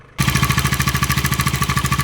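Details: New 2026 Bajaj Dominar 350 idling with a sudden hard, regular knock over a thin metallic ring. The service centre replaced the timing chain tensioner and updated the ECU software.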